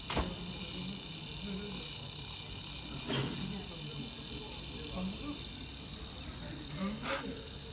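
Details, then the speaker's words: 2016 MacBook Pro 15-inch Touch Bar resting on a magnetic case: faint high-pitched warbling electronic chirp from inside the laptop, steady then wavering in bursts, increasing when pressed and stopping when lifted; case magnet suspected. "Sanki eski sidron döner ya. Nedir ya? Yüksek titriyor bir de yani."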